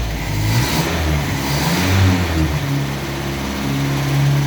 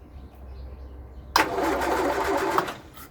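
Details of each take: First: 1962 Land Rover Series 2A 2¼ petrol four-cylinder, first start after over 10 years sitting, new leads, on original stale 10-year-old fuel, smoking: fires, settles to steady lumpy idle with throttle blips, running cleanly; normal idle and revving. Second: 1962 Land Rover Series 2A 2 1/4 petrol, first start after over 10 years sitting, oil and water checked: about a second of cranking that never fires; crank no start.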